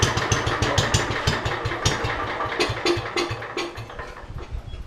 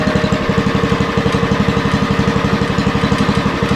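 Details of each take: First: Roughly 40-year-old (1977 or 78) Lincoln Weldanpower 150 genset welder just after a cold rope start: loose, uneven thumping about three beats a second that sags; owner thinks the idle is a little too low and will add more choke. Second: 40-year-old Lincoln Weldanpower 150 genset welder (about 1977–78), running at 150 welding output: steady, even firing beat near three per second, no misses or knocks. Healthy under load.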